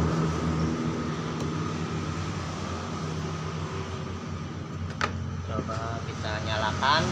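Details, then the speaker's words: Yamaha NMAX 155 scooter that died while riding and wouldn't start on its weak battery, now fitted with a better battery: steady, even low hum with no knocks or misses; engine runs, though the MIL stays lit. "Nyalakan nyala ya teman-teman motornya oh motornya nyala"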